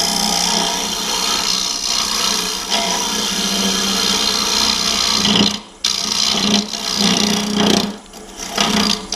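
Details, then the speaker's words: Woodturning hollow form with swan-neck carbide hollower on a hollowing system: rough scraping cut over steady low buzz, tool chatter; lowering part of the system to add pressure at the tool rest often reduces it. "You hear that chatter there? Sometimes when you do this, if you lower this part down right here, it puts a little more pressure on the tool up here at the tool rest. And a lot of times that'll help with that chatter."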